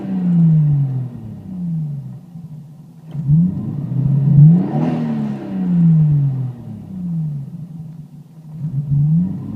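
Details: J-spec twin-turbo Toyota Supra MkIV: repeated rev sweeps rise and fall unevenly with hesitation around the middle blip, stumbling like a misfire.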